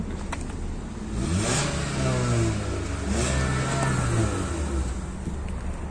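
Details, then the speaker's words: Hyundai i20 on original Michelin 185/65 R15 summer tyres, parked and revved to check for smoke as in a purchase inspection: engine picks up cleanly, rises smoothly and drops back to an even idle without roughness; sounds healthy. "Se aude bine."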